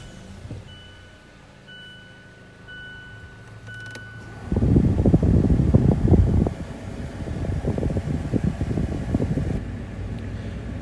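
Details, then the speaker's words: 2018 Mazda CX-5 HVAC blower motor, newly replaced because the old one made weird noises, AC on with cover still off: fan spins up to a steady airy rush with slight roughness, no grinding or squeal. Normal blower operation. "the ac is on it's a little noisy but not too bad it seems like it's pushing it pushing out about the same air as the as the old one uh you can hear a little bit of noise because i haven't put the cover back on yet"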